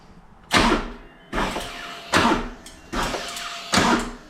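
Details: 2024 Harley-Davidson CVO ST Road Glide, about 500 km, in neutral, new battery that owner suspects is too flat for the trickle charger: five short harsh bursts about a second apart, starter drops out abruptly at compression, cranks but never starts; owner suspects electrical.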